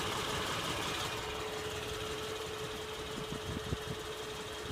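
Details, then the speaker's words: 2007 Acura RL with the J35A8 petrol V6 idling: steady hum with a faint, uneven light ticking. The owner wonders whether this is normal. "wondering if this noise is normal ticking for the J35A8 engine."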